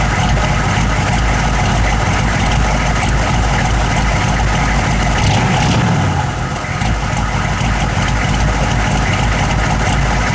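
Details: Engine idling with an uneven, lumpy beat, around three loose pulses a second that never settle into a smooth rhythm; rough idle, cause unknown.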